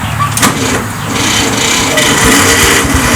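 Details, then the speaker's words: Tractor with a snapped starter housing and fried solenoid: a loud, rough groaning crank with uneven pulsing, about four a second, instead of a smooth spin and hard to start; the starter motor is failing. "if your starter is making a lot of noise it really make too much noise when you try and start it up it should be a very smooth sound and it shouldn't sound like a groaning engine trying to kick over"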